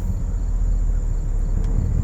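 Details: 2006 Porsche Cayenne S (955) 4.5L V8 after replacing the EVAP canister purge valve and clearing P0441 purge-flow codes: steady, even low idle rumble with no knocks, misses or surging, sounding healthy; earlier stalling after refueling and rough pulsing idle.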